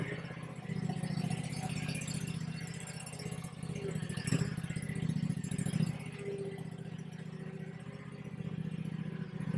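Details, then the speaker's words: Bad Boy zero-turn mower with Kawasaki twin, rebuilt after a fire using parts engine; steady even low thrum, no knocks or misses, charging about 14 volts; slight smoke from underneath; normal running. "Oh, she sounds good. She sounds real good. She's charging. She's putting out about 14 volts."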